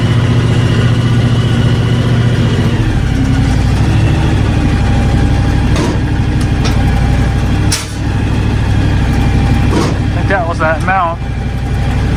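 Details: John Deere X724 tractor as the 54" snow blower engages; engine settles into a steady, smooth drone with no knocks or grinding; running normally.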